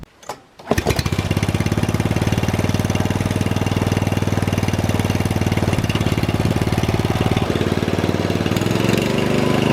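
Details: Rebuilt Troy-Bilt mower cutting grass, after new piston rings and a brand-new carburetor adjusted about half a turn. Holds a strong, even bark under cutting load with no misses or knocks; normal running under load.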